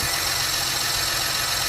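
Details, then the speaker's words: 2022–2025 Acura MDX just after a new serpentine belt was fitted: steady, even idle with a smooth hiss and no squeal or chirp; the engine sounds noticeably quieter and healthy. "All right. And the engine sounds way quieter."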